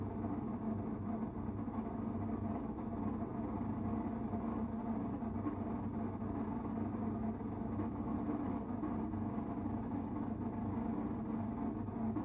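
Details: Electrolux Time Manager front-load washing machine: constant heavy low rumble, even and unbroken, far louder than normal, on all programmes, not just spin; owner guesses the pump, not confirmed.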